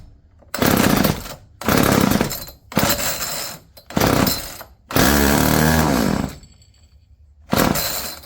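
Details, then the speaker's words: Old chainsaw winch two-stroke engine run on gas squirted in after good spark confirmed: short ragged bursts catching and dying, never holding steady; runs poorly, carburetor cleaning suspected, not confirmed. "all right sounds like it needs carb cleaning to me so let's uh see what we got to D"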